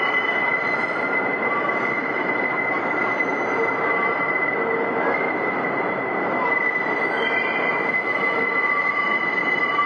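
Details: Northbound NYC Subway 5 train entering 149th Street–Grand Concourse station after a very sharp right curve: a loud, steady high-pitched screech held throughout as the train rolls slowly, the wheels grinding against the rails.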